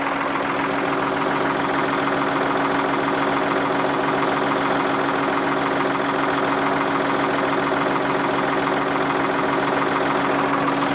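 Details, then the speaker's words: Backhoe loader diesel idling warm (warmed before recording) before the oil change, sound meter at the engine reading about 75 dB, up to about 85 dB on the other side; loud, hard rough clatter about 140 beats a minute; noisy diesel idle. "c'est donc le bruit du moteur donc là le moteur avait démarré il échoue parce que je les fais chauffer avant la vidéo pour justement avoir les mêmes mesures"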